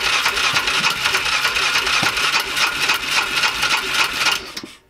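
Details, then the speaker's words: 2005 Polaris Ranger 500 non-runner, in neutral with a little choke: starter turns engine steadily about three beats a second but it never catches; cranks but won't start, low compression or bent valve suspected. "It wanted to go when I put it in low. I'm gonna hold my foot on the brake. Let's try Stay in neutral. Try a little choke."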